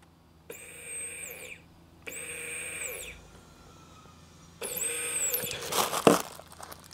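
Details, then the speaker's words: Car fuel pump bench-tested by wiring it straight to a battery, + and −; its relay sits in the glove box. Short bursts of clean, high electric whine: pump works fine, so the fault lies elsewhere. "Et j'ai bien fait de ne pas faire le con, la pompe fonctionne très bien. Donc le problème ne vient pas de là."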